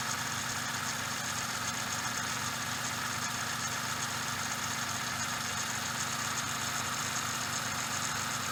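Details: Suzuki Every DA64V engine at idle: steady hissing, rushing dry whir with no knocks; belt tensioner bearing given as the cause, possibly from lost grease.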